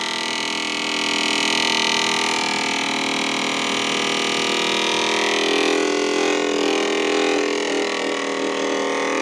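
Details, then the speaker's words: BP Microsystems Silicon Sculptor 3 device programmer just plugged in, with a loud steady high whirr and constant hum that shifts midway: noisy cooling fans; cause suspected, not confirmed. "okay we are plugged in yeah definitely needs fans can you hear"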